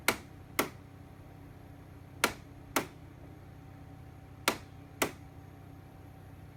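Sharp, irregular clicks about every second or two over a faint hum; the indoor unit is clicking abnormally, cause unknown.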